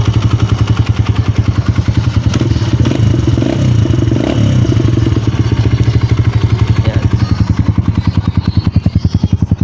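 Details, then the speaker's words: Kawasaki KLX150 after overhaul (new connecting rod and side bearing, cylinder rebored using a TMX Supremo rebore 100 kit): even single-cylinder thumping at a raised idle for oil circulation, about 3.5 beats per second, no knock or clatter. "Pinataas ko lang yung minor para malubricant yung kanyang makina, panday yung daloy ng oil. Ayan. So goods nitong motor mga Diaz."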